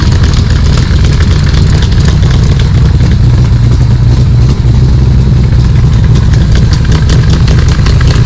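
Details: Cobra V8 with Holley Sniper, Isky cams, ARF cylinder heads and a fresh tune, just over 100 miles, idling in the driveway: deep, steady burble with an even lumpy cam pulse and no misses or knocks. Normal idle.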